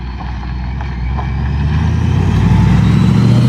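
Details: 1956 Ford F-100 with a Powerdyne belt-driven centrifugal supercharger, pulling away on a test drive through town after its failed internal cog drive belt was replaced; low engine drone with faint rising whistle, smooth, no slap; running normally.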